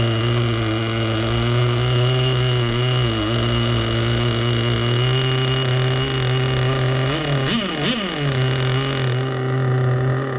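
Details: Vintage nitro RC engine (HPI RS4/MT2, OS tagged) running after refuelling and reattaching a leaking fuel line that kept slipping off the tank nipple. It holds a steady high idle, then blips up cleanly twice and settles back, running and revving well.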